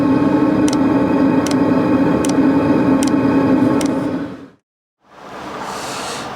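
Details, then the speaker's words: Original 'ultra quiet' Chinese diesel heater fuel pump fitted in a Sprinter van, heater running. Crisp ticks about once per second over a steady fan hum, then it stops: the pump is metering fuel normally. "I've still got the the original ultra quiet diesel Heater fuel pump fitted to my Sprinter this is what it currently sounds like"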